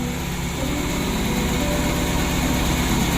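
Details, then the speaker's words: Suzuki Carry 1.5 injection idling with an uneven, lumpy, stumbling beat; cause not yet confirmed; sensors and air filter to be checked. "Tapi mesinnya agak pincang ini. Nanti kita periksa keseluruhannya ya."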